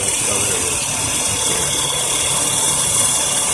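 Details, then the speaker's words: 2000 Ford Windstar AC compressor running with the low-pressure switch jumped, clutch plate engaged: steady hissy whir with a faint rattle over the running engine. Suction pressure reads a little under 20, too low; cause unconfirmed. "I won't let the compressor come on if the pressures too low here's the pressure that the compressor running it's a little less than 20"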